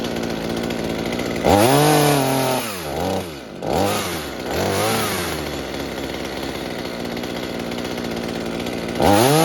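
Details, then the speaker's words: Mini chainsaw saved from scrap, being fixed for a fuel leak, after carburetor adjustment (low side opened, too-rich high side turned down): even idle, then crisp revs climbing and dropping cleanly without bogging or sputtering; normal idle and revving. "Okay, that sounds quite good now, except of course that the change makes very..."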